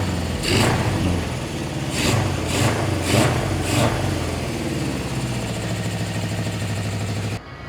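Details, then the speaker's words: 1974 Honda CB750 four-cylinder after carb adjustment, in neutral: settles into a steady even idle with clean throttle blips rising and falling smoothly; running properly. "Probably go neutral. Running beautifully. Yeah."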